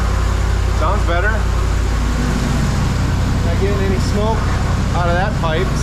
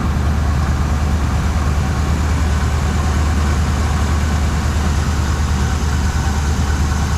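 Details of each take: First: 1979 Suburban V8 after new dual exhaust, tune-up and plug wires refitted, warming up: deep, steady idle with even beat, no stumble or skipped firing; no longer missing, normal idle. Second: 1979 Suburban after new dual exhaust install, outside at idle: low lumpy uneven beat, about two pulses a second; temp gun shows one rear cylinder, maybe number seven, roughly 100 degrees cooler, indicating a misfiring cylinder.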